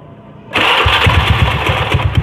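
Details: Carbureted Honda Beat automatic scooter, noisy at idle: fast idle with a steady, regular low knock from a loose magneto fan boss. After the boss was fixed, the engine ran smooth with no knocking.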